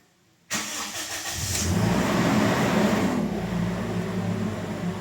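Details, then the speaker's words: Toyota Innova after an oil change: on a start the engine jumps to a raised idle near 2,000 RPM, then slowly drops and steadies around 1,400 RPM, holding it for about five minutes; slow-settling high idle, cause not yet confirmed. "Pag start ko biglang taas yung menor. Umabot siya ng kulang-kulang 2,000 RPM tapos bumaba siya dahan-dahan hanggang 14."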